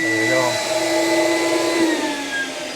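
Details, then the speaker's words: CECOR SD-15 Sump Shark coolant sump vacuum with a battery/inverter conversion, shown runnable on battery or a 120 V plug. Steady, even motor whir with a clean high whine holding pitch, no surging or rattles; running normally. "So you can use the battery or plug it into 120 volt. That's correct. Yeah. So right now we're on battery power."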